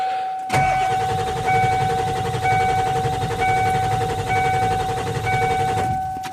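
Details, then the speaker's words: 1995 Ford F250 7.3L turbo diesel after cold night parked on a hill, fuel filter bowl found empty and refilled, ether sprayed: starter churns steadily but it never runs; crank no start, owner suspects lost prime and airlocked fuel lines. "We got a fire. She ain't gonna go, guys."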